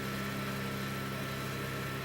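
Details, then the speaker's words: Chinese laser cutter axis at slow feed around 30 mm/s; steady buzzing hum with fixed tones that never settles, stepper axis resonating and oscillating, causing ripples in engraving; oscillation varies with speed, less at 60 mm/s. "still going into oscillation steady oscillation now it stopped now it's off again"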